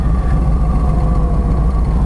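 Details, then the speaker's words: 1997 Harley-Davidson Road King Police restomod, Evo V-twin: starts well and settles into a deep, steady, even idle with no knocks or rattles. Normal idle; owner notes the clutch still drags slightly. "Bike started up well. Bike's running nice."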